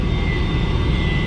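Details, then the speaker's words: Draft inducer motor on a 2006 Rheem RRNA R22 gas pack, heard after power was restored; a steady low drone with a thin whine on top, rougher and louder than it should be. Replacement was estimated. "that draft motor does not sound right [Music] should not be making that noise"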